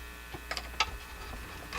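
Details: Canadian General Electric C67 tube radio under repair, no signal passing even with antenna booster: steady low hum with buzz and scattered clicks from the speaker; owner suspects an open grid.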